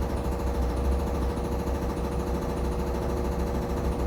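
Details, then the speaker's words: Samsung Flexwash upper washer, Delicates cycle spin: steady motor hum with fast, uneven thumping about three beats a second as the machine shakes, not hitting the dryer; cause unknown, excessive vibration during spin. "You can see the machine is shaking. You can hear it too. Again, I got no clue what that banging sound is because, like, it's not hitting the dryer."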